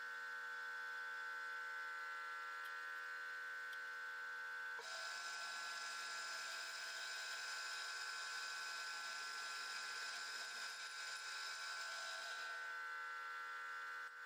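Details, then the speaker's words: Milling machine drilling holes in a belt grinder motor mount: steady high electrical buzz unchanged as drilling starts and stops is the rotary phase converter, not the mill; normal rotary phase converter hum. "And in case you're wondering, that higher pitched buzz in the background when I'm running this is the rotary phase converter. That's not the milling machine making that noise."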